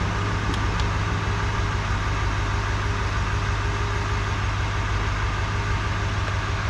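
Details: Wrecked 2022 Chevrolet Silverado 2500 Duramax diesel, 5,600 km, first start during rebuild: fires right up and settles into a steady, even low rumble with no knocks or misses; healthy normal idle.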